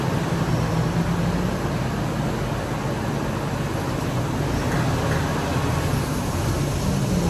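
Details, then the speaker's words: 1998 Ford Expedition V8, ex-police, about 151,000 miles, chasing P0401/P0402/P1401: EGR vacuum solenoid green wire grounded at idle opens the EGR, and the idle sags, stumbles and nearly dies before recovering, confirming the solenoid works. "What it's going to do is it's going to simulate what we did earlier where the engine kind of starts running rough and almost stumbles and dies."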